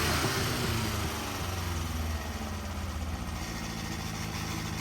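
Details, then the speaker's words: Freshly built Davies 1040 dry-liner engine (74mm bore, mild R17 cam, road-intended) on the dyno. First fire-up catches and settles to a steady even idle just under 1,000 rpm, no knocks or misses; healthy. "Good idle. Just under 1,000 RPM."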